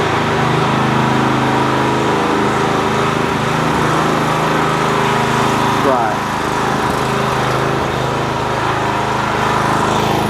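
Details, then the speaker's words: 4 kW generator after repair, running under a kettle load measured at about 2.2 kW (just over half its capacity); steady, even engine drone holding speed without hunting or surging, generator running properly under load. "okay guys that's two and a half kilowatt they'll check on the kettle it might be three but that's what you should get see yeah 2.2 kilowatt"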